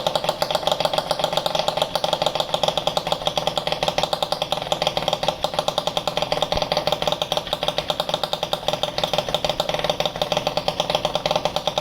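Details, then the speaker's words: Italjet Charger 70cc with Stage6 Sport Pro MK2, first run: sharp, rapid crackling raspy exhaust blare at idle; excessively loud silencer, also loud on 50cc, silencer later modified. "as you can hear the scooter is very very very loud which was loud as 50 cc as well I don't know why this Pro replica it sounds like this on this engine it's it's crazy"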